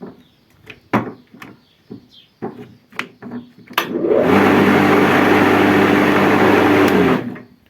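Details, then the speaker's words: Black & Decker electric lawnmower after replacing the melted power switch, which had caused smoke and a strange noise: after some handling knocks, the motor spins up to a smooth, steady hum and winds down cleanly; repaired. "E come potete notare, la riparazione è riuscita con successo."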